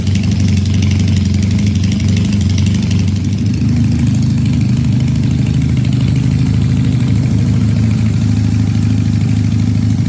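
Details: Supercharged Honda CL175 at warm operating temperature, checked for a heat-related vacuum leak with a DIY smoke tester: steady, even idle with no rise and fall in speed; the earlier erratic idle is absent.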